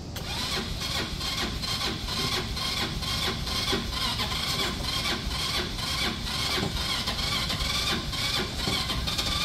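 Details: Auction go-kart (the red one) on a jump pack, with carb cleaner sprayed into the carburetor and a little throttle while cranking. Steady starter churning with one faint pop but no catch, so spark is present and the fuel system is suspected. Cranks but no start.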